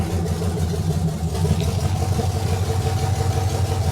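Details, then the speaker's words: 6.0 L V8 swapped BMW after replacing bad injectors, first start: deep steady V8 burble with even low rumble, no misses or knocks, no longer sounding like a tractor. Normal idle. "that sounds like a be8 oh my gosh we did it we did it that's what it's really supposed to sound like"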